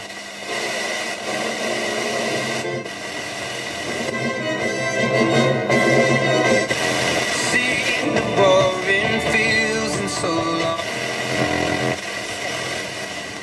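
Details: Roberts R900 radio after repair: music comes through clear and steady with no crackle, hiss or dropouts; set receiving cleanly.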